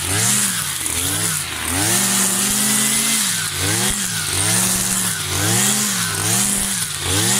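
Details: New Kawasaki TJ53E two-stroke brush cutter cutting tall grass: the engine revs and bogs rhythmically about every two seconds as the head bites. It runs clean and strong under load.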